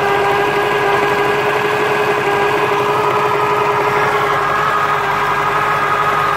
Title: Corvette c4 1996 lt4 zf gearbox noise problem